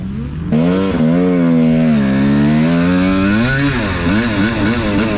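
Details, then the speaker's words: Used 250 two-stroke dirt bike with about 60 hours, after carburetor rejetting cured lean running: revs rise and dip with a ragged fluttery crackle while feathering the clutch, sounding mechanical rather than lean popping; suspected internal fault. "but i was still hearing that like fluttery cracking noise listen did you hear that a little crack"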